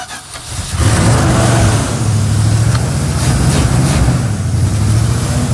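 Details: Start after swapping the starter motor on a circa-1975 Dodge pickup with a 360 small block that sat outside about 15 years: brief quiet, then it catches and settles into a steady, even low rumble, a clean start.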